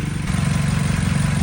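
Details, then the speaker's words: BMW M8 Competition V8 after replacing injectors that had caused misfires, injectors reset, no check engine light; even steady low burble with no stumbles or ticks, running great. Downpipe issue remains, unrelated. "All right, so everything is running great."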